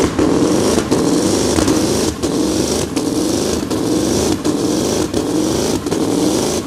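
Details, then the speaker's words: Modified pulling tractor with a reground camshaft and big injectors: a heavy roar under load that keeps chopping out and stuttering as the engine control unit repeatedly shuts the engine down during the pull. The rev limiter was first suspected; the cause was a fuel-cut safety. "During the ride the engine control unit started to shut down jerkily over and over again."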